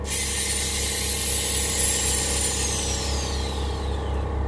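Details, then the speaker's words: 1972 Chevy truck with air suspension, front and back just dropped. Sharp hiss of air dumping fades while the electric air pump hums, then the pump shuts off; air ride working normally. "just dropped the back and you can hear the pumps run there you go now the pump shut off"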